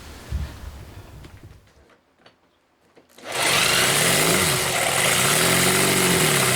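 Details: Homemade four-cylinder CD125four engine (Honda Monkey converted, ver1.1), indoor start test after head gasket sealant against blow-by: faint clicks, then catches into steady busy idle with no knocks; pistons lack oil rings so oil rises; normal idle.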